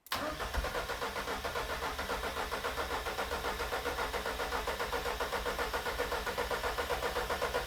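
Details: Ford Escort Mk4 that won't run, after a backfire with exhaust accidentally covered: steady starter churn about four beats a second for eight seconds with no firing; cranks but won't start.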